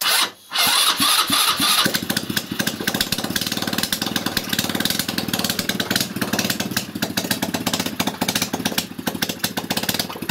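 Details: 161QMK scooter engine after reassembly and long storage: cranks, fires and settles into a fast regular ticking idle with even beats; runs, though muffler blows from the bottom side.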